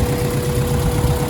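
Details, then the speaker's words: Honda B-series swap (B16 head on B18A1 block) with turbo kit and P73 intake manifold, idling after work: steady low rumble with an even beat and no misses or hunting, much better than before; an exhaust leak remains mid-car. "here it is so it's idling a whole lot better"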